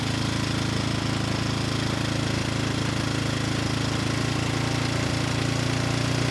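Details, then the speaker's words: Rebuilt Briggs & Stratton engine, model 210312-0159-E1, with under 50 hours from new when it failed from running out of oil, slight cylinder damage: started first pull, runs smooth and even at low and high speed, governor responding well; normal running. "started first pull the engine sounds good and has no issues running at low speed or high speed and the governor seems to be responding well"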